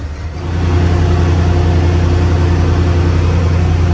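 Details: 1990 Ford F250 with 351W V8 that is burning smoke: steady low idle rumble with a faint rhythmic puffing tick through the exhaust, an exhaust leak.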